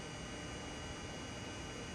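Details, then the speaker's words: Amiga 3000 with real hard drive being quick-formatted: faint steady high whine over low hum, no clicks or scraping; drive got quieter since running, spinning normally. "It's actually gotten quieter since it's been running, which is good."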